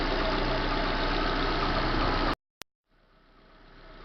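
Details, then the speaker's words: 2010 Corsa Classic 1.0 VHC at idle: a dry, intermittent scraping rasp from the front belt region, then the engine is shut off. Traced to a worn timing belt tensioner and water pump bearing. "aí vai poder achar o motor 1.0 vhc estava pegar parece uma coisa raspando na outra"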